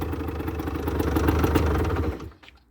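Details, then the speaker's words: 2008 Rieju Matrix 50cc two-stroke bike, 6,800 km, which previously cranked but wouldn't fire: after a new spark plug it starts hot on the electric start and idles evenly with no misfire. Normal idle; the CDI was not at fault. "So, ignition on right now. It starts fine. Very good."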